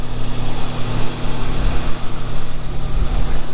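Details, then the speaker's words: Toyota 3SGE after Kelford 262° cam upgrade, cold, about 90 seconds to two minutes after start: lumpy, pulsing fast idle settling to about 1100–1200 rpm; exhaust louder and crisper than before; normal warm-up idle. "she's dropping its way dropping it's down to about 1100 maybe 1200 rpm so it's kind of changed the attitude a little bit with the ECU as well"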